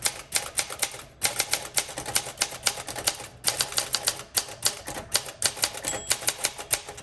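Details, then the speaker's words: 1962 Olympia SM5 manual typewriter, well-used and rough-looking but mechanically sound: crisp, even key strikes in quick bursts with short pauses between words; typing extremely well, normal. "It is typing extremely well."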